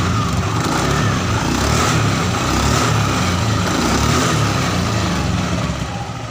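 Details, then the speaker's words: Honda Scoopy FI scooter CVT after repair of a rough noise and sluggish low-rpm power: a steady, even drivetrain drone without roughness or surging; the CVT is responsive again, normal operation. "Untuk tahap pengetesan tadi oleh saya sudah saya lakukan dan itu kembali responsif ya teman-teman pada area CVT ini yang tadinya kasar dan juga lemot tenaganya."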